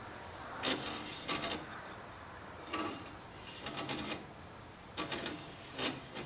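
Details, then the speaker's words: 2007 Chevy Impala rear brake, wheel turned by hand: short scraping rubs about once per second. The pads are still good and a dragging dust shield is suspected, not confirmed. "okay there we go well the pads are still good all right so obviously that's not oh that might be just a dust shield scraper"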